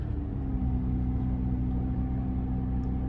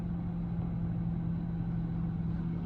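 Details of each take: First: 2004 Toyota Camry 3.0L 1MZ-FE V6 cold start with a brand new starter and new battery: a steady low idle hum with a faint even tone, no knocks or ticks, a smooth healthy cold idle. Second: 2004 Toyota Camry 3.0L 1MZ-FE V6 that kept stalling; with the idle control valve connector unplugged it starts and idles smoothly and steadily with a constant hum and no hunting, pointing to a faulty idle control valve.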